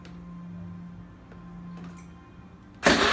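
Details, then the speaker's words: Honda Lead scooter, first cold start of the day: clean start with no noise; owner says sometimes it gives a loud snap or crack on starting, but not this time. "aí me fez barulho nenhum porém tem vezes que você ligar ela dá como se fosse um estralo"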